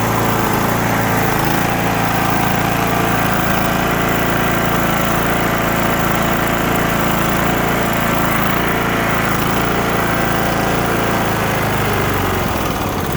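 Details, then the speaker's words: Cub Cadet LTX1045 riding mower, Kohler Courage 20HP, that kept dying off choke, after draining water-contaminated bad fuel, cleaning and replacing the fuel filter: steady, even drone at constant speed, no surging or misses; running normally. "so the thing at this point runs great because we got that bad fuel out of there cleaned everything up did the fuel filter"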